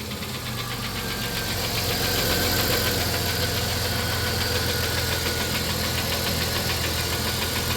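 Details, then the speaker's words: 1993 Plymouth Grand Voyager SE, revived after 18 years parked, idle: light quick ticking about three or four a second fading in and out, located toward the rear head or lower, not the front. "sounds like it's back here you know at the very least it's either on the back head or it's down there definitely not up front"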